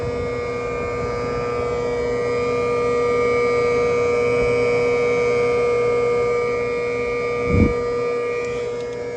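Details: 2022 Tesla Model 3 rear-wheel drive with heat pump, recorded from outside the car with defrost on during warm weather: smooth even hum with steady whining tones and soft, unchanging fan rush; heat pump running normally.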